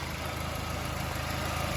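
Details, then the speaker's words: New-model Maruti WagonR after the misfiring engine was treated with a foaming liquid and the battery terminal retightened. A smooth, even idle with a steady low hum and no stumble. The misfire is gone and the engine idles normally. "എല്ലാ നല്ല ആ missing മാറി ഏകദേശം ആ problem solve ചെയ്തു"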